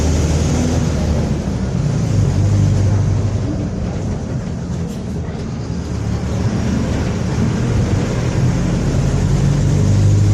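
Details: 2014 Torino city bus on a Mercedes-Benz OF-1721 BlueTec 5 chassis, recorded while driving: deep steady drone under the diesel with a low hum that holds with road speed; the rear differential is roaring; differential whine.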